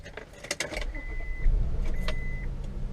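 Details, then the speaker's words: 2000 Honda Accord EX power window: short bursts of a steady, unstrained motor whine while the glass does not move; the motor works, so the window is off track or the regulator is broken, before regulator replacement. "But if you listen closely, you can hear that the window motor still works. So it could possibly just be off track, unless the window regulator is broken."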